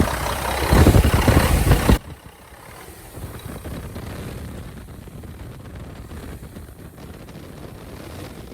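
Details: 1997 Mack RD600 diesel cement truck from auction, just started after charging dead batteries, given a little gas: brief loud rev then low steady even diesel idle with a regular beat, no knocks; normal idle.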